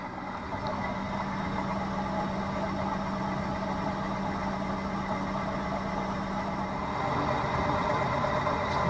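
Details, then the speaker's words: Sailboat electric drive motor under load at about 1750 watts, roughly 4.5 knots; motor controller hot, bearing cool: smooth, even hum with a steady low tone, no knocks or grinding. Normal electric motor running under load. "I'm not really hearing too much. This is getting hot. Motor controller. Bearing is still cool. We're using 1750 watts, so I'd be traveling at probably 4.5 knots here."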